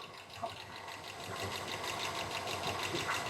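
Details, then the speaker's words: Carbureted engine being tuned, cold shop: light quick ticking about three per second over a quiet idle, located to a rocker not a lifter, likely nonadjustable rockers; improved after about 20 minutes running but not gone. "yeah I don't hear nothing back there it's it's somewhere in here so it's telling me that it's not a lifter it's a rocker"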